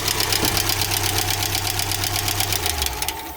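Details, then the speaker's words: GAZelle Business with a UMZ-4216 engine at 140,000 km, idling: sharp, fast, even valve tapping about two to three taps a second; almost no oil reaches the rocker arms, so the rocker shaft oil channel is suspected clogged or the gasket fitted wrong. "яч километров ехал машина с проблемы с учит клапана требуется регулировка [музыка] масло практически не поступает ни вот такой зазор q два варианта либо там канал забиты или прокладку неправильностей"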